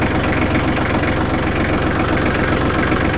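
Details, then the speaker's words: Small 25 hp selectable four-wheel-drive diesel tractor with power steering, 502 hours, careful previous owner: steady, even diesel clatter at a settled idle with no misses, knocks or surging; a normal, clean-running idle. "Let's see if we can't fire this baby up and let you hear what it sounds like. Ain't nothing like a diesel running."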